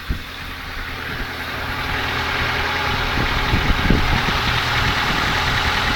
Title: Ford Focus 2 стук мотора